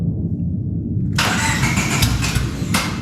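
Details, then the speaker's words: Project car with crankshaft fluctuation sensor missing, new sensor not yet fitted: about a second of cranking, then catches and revs unevenly, a hard rough start; scan shows fluctuation sensor no signal, IAT circuit high, O2 codes. "So we got the intake air temperature sensor circuit high, got the O2 sensor which we're expecting, and we have the fluctuation sensor no signal. I think that has to do with the crankshaft sensor."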